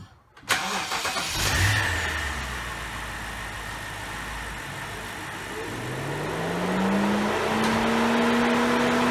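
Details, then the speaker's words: 2007 BMW X5 4.8 with code P0128 and a coolant leak at the thermostat, before thermostat replacement: engine starts, then a rising whooshing hum climbs and holds loud over idle; cooling fan kicking on high, thermostat suspected. "The fan's been kicking up on high, and we're going to take a look at it."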